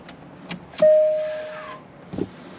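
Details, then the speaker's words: Range Rover Sport electric parking brake, left rear fault, showing calibration required, brake applied: one short half-second motor whir, heard only from the right side, then quiet; left actuator not running, right sounds like it's struggling; cause not yet confirmed. "That's the left side. I can only hear it from the right side. It sounds like it's struggling to me."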